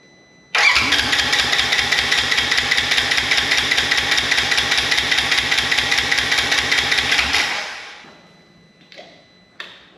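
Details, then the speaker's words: Wrecked 2016 Polaris RZR 900 S after ignition switch fix: starter spins with even compression pulses about seven seconds, never catches; spark now present, owner suspects injectors plugged from long sitting. "all right we got spark now so that tells me more likely those injectors are plugged from sitting all this time"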